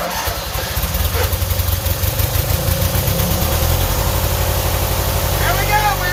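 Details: Yardman 13785L tractor, after refuelling (earlier died on choke, suspected out of gas or bad gas): catches and settles into a steady, even low thump at idle; normal running.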